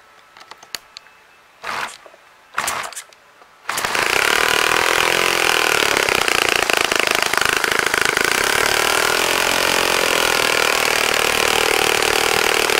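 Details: Saito FA-65 model four-stroke glow engine, first run after rebuild, APC 12x6 prop, Morgan's Omega 10% fuel, Fox Miracle plug, needed heavy priming: starter bursts, then catches and holds loud steady high-revving buzz without misses; normal running.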